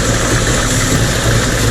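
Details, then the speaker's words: Mercury 50 two-stroke outboard after a new fuel filter fixed a rough idle that used to stall within a minute: a steady, even, smooth idle with no stumbling. "look at that satisfaction it is never idle that long five dollar fix baby"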